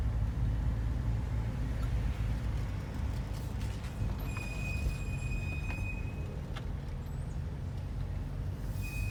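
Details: 2005 Murano driving after a new axle was installed: over steady road rumble, a thin high squeak chirps on and off a few times; source of the squeak unclear.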